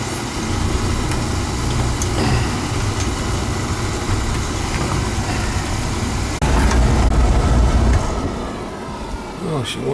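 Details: Oil-fired furnace burner restarted on purge mode to bleed out air left in the unit after service: a steady roar of fan and flame for about eight seconds, then it drops away. The burner trips out on safety lockout.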